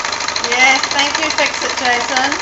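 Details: Janome sewing overlocker with a slipping drive belt, test-run after the belt was tightened and before the remaining screws went back in: fast, even mechanical chatter with no slipping or squeal; the belt drive now runs steadily.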